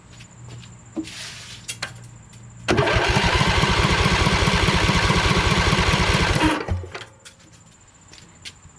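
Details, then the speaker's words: Briggs 20HP Intek V-twin in a Craftsman LT2000 tractor: about four seconds of steady, even cranking chug during a compression test with a second gauge. The right cylinder reads lower than the earlier 115, and the gauge needle leaks down. Cause unconfirmed. "wow it showed less i wasn't expecting that so it looks like maybe we need to check the uh right side cylinder huh"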